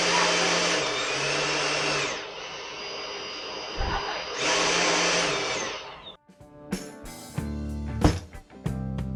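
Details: Husqvarna T536LiXP battery chainsaw that ran erratically, after trigger switch replacement: two short bursts of steady, even motor whine that start and stop cleanly on the trigger. Normal motor run.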